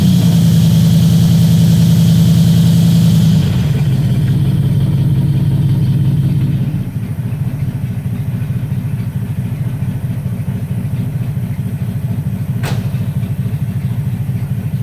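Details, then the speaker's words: 1961 Cadillac Coupe DeVille cold start in summer heat after about four months sitting: deep, loud, even idle rumble with no misses; a backfire blew one new muffler, so one side runs straight pipe; idles fine, just loud. "so I don't know if I told you this but she backfired something fierce and uh blew up the muffler one of the Mufflers brand new muffler at that so running on straight pipes on one side"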